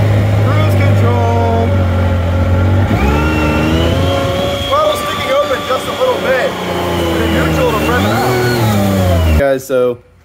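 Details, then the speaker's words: Yamaha YXZ1000R: the engine sits at a high fast idle, then revs and hangs up instead of dropping back; it once stuck at 8,000 rpm; diagnosed as throttle butterflies sticking open. "it did great except for the throttle started hanging up and the first time i did it at 8 000 rpms it almost put me in a barbed wire fence"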